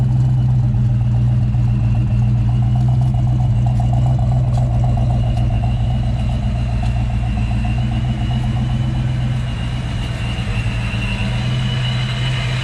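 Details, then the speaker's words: 1993 Ford Mustang Fox body (Saleen SA10 chassis) idling with steady even rumble after replacing fan clutch, MSD coil and supercharger belt; previous fan roar gone, running normally. "all right the lovely chime of a fox body oh yeah that's a lot better no more roar from the fan"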